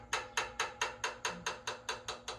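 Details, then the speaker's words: VW 1600 dual-port engine in a sand rail buggy, valve covers off, rocker worked by hand. Sharp, even clacks about four a second show far too much valve clearance. Excessive valve lash needing adjustment; an oil leak is also being investigated. "Ooh, got 040, got some good heads. Need a little valve adjustment. Can you hear it?"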